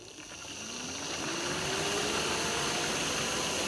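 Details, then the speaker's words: BMW electric water pump heard from underneath the car during a coolant purge cycle: a soft hum ramps up into a steady whir with coolant rushing through, a healthy pump purging air bubbles. "If we go underneath the car, there's the pump. You can probably actually even hear it. You can hear it running when it starts again."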